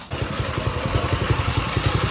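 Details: Stretched old-school Doodle Bug mini bike after engine swap, small single: quick thumping about eleven beats a second with a rough uneven edge; something leaking, chain later pops for lack of a tensioner; cause of noise unclear.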